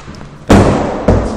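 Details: Kone traction elevator car: two sharp heavy thumps about half a second apart over a quiet car; abnormal noise occurs going up, not down, cause not yet found.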